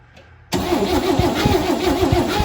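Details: 1970 International Scout, first start in years, after coil change: steady starter whirring with even compression pulses about four per second, never fires; cranks without starting, no spark until distributor cap wires were tightened.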